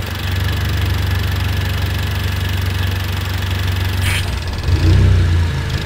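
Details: Audi/VW A3/GTI/S3/Golf R with ongoing misfires during CRC intake valve cleaner run through a boost tap: fast idle uneven and lumpy, stumbling and surging near the end; rough running misfire, cause unconfirmed.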